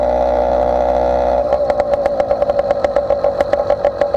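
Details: Motorized bicycle two-stroke with stock intake, ridden: steady buzzing drone breaks into an uneven, pulsing burble under way; running a little rich at the top end.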